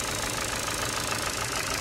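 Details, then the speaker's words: 2011 Ford Focus Mk3 1.6 petrol at idle before service: light, even tick about seven times a second, diesel-like; suspected noisy valve lifters. "rather noisy 1.6 uh title engine felt like a diesel but i've been informed that might just be um the uh valve lifters catholics so i've got some treatment for that"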